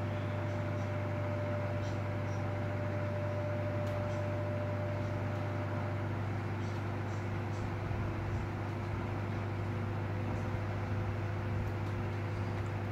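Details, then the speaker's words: Elcon 16-inch desk fan after motor repair (7 coins removed, rusted motor, bent blades): steady low electric hum with faint whirring air rush, even throughout; runs faster than before, normal. "Now that's much better. Even the speed is a lot higher than before. And you get that beautiful sound of that motor too."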